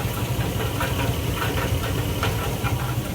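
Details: 2004 GMC Sierra 1500 4.8 V8 idling with a sharp knock two or three times a second that sounds like a bad rod, but comes from a broken-up catalytic converter; oil pan showed no metal.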